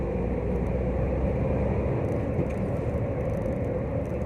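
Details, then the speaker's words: Nissan Almera test drive after rear wheel bearing replacement (previously replaced June 2019); before, a humming drone came from the rear wheel around 40-50. Now steady low road rumble, no hum rising with speed; wheel bearings quiet. "Ayun, fortunately naman wala nang ingay. So, try natin ulit."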